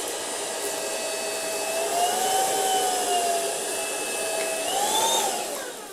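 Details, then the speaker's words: Ultenic U10 vacuum at speed 1 with microfibre brush on a heavy pile of dumped dust: motor whine rises in pitch twice, holds, then settles back as the infrared dust sensor automatically boosts suction. "Vous avez entendu, le moteur a accéléré tout seul parce qu'il a détecté une grosse quantité de poussière."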